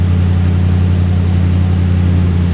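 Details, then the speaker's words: 1935 Ford convertible sedan idling just after starting with a little choke, following new starter solenoid install: deep steady low rumble, no stumble, knock or miss; normal idle. "Yeah, seemed to turn over a lot faster."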